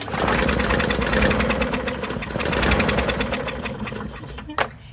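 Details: Non-running push mower, owner suspecting a rust-stuck intake valve: quick uneven pops for a few seconds then dies; fires but won't keep running.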